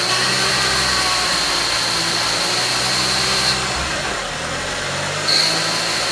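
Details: Audi S3 8L after sitting nine years in a barn, fresh timing belt: thin steady high-pitched squeal over an even idle that disappears with the clutch pedal pressed; clutch release bearing, likely a bit rusty, clutch itself engages fine.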